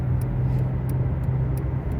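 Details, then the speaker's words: Dodge Avenger, possibly 2012, driving at road speed: constant low droning hum like a distant airplane that changes when the steering wheel is moved slightly, seemingly driver's side; worn front wheel bearing (hub), later replaced. "no pues sí definitivamente está haciendo ruido muchas veces se mueve es poquito el volante y cambia el ruido"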